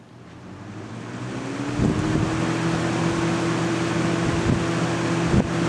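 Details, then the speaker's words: 1998 Lasko Model 3700 "Ultra Force" 20" box fan on high: steady loud whooshing rush with low hum rising slightly to speed then holding even; normal running, louder than a comparison fan. "yeah as you can tell there like i said it's loud it's louder than the i think that this must be because the wheels they're just they they muffle some of that sound"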